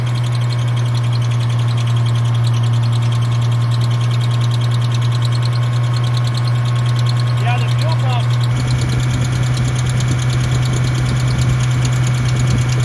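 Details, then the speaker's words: 1975 GMC Sierra Heavy Half V8 after B12 carburetor cleaning: deep steady even idle with no misses; owner concludes the problem is fuel supply or the fuel pump, not the carburetor. "either it's out of fuel or the fuel pump's not working cuz we're idling good now sweet"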